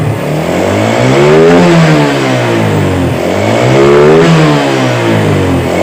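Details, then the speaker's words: Yamaha Vega R motorcycle after its faulty carburetor was serviced and refitted. Two clean rev-ups rise and fall smoothly with no stumble, miss or backfire; crisp response, normal revving. "jadi kita rapikan jadi motor sudah normal yang teman-teman bisa teman-teman dengarkan"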